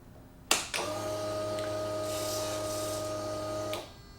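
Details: Kawasaki Ninja ZX-10R wrecked-bike rebuild, frame damaged, engine being tested for reuse: at key-on a click, then a steady low electrical hum for about three seconds that stops; source unknown.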